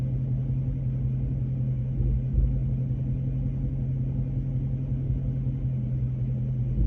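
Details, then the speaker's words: Dodge Charger Scat Pack V8 at operating temperature, revved a little, phone set down near the engine; deep uneven lumpy rumble, feels very rough and vibrating, owner still trying to find the noise: rough running, cause unclear. "okay it's just very rough feeling operating temp it's just vibrating away"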